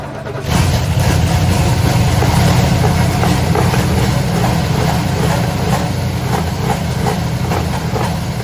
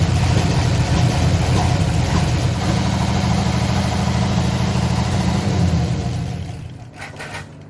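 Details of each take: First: 1968 Oldsmobile Delmont 88 with 455 V8, sat 30 years, first start: steady, deep, even idle with loud open exhaust, no knocks or ticks, slightly smoky and needing tuning; motor sounds healthy at normal idle. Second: 1968 Oldsmobile Delmont 88 V8 that sat 30+ years, idling on a lawnmower tank feeding the fuel pump with the alternator disconnected; rough idle with loose top-end valve chatter and misfire, oil light still on, no gauge, owner suspects no oil getting through.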